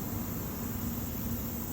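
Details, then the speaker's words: Newly installed solar-powered lawn irrigation with anti-siphon valve, after purging trapped air from the line: even, steady hiss of water with no sputter or surging; sprinkler system running normally. "It comes on, and there's the sprinkler system running."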